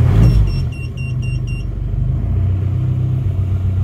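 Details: Isuzu Panther diesel after overheat/seizure repair (warped liner/block polished, not sleeved), first start: brief crank, fires right away, settles into an even, steady clatter with no misses; thin black smoke, no dipstick blow-by; healthy start and idle.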